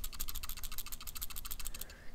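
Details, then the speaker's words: Smok XPro M50 65W box mod being shaken: fast, light plastic clicking of around fifteen ticks a second from the loose plus and minus adjustment buttons, not from anything loose inside. "hear that rattling so that's these plus and minus buttons they're they're just a little bit loose at first I thought something was loose inside and then I realized it was the buttons"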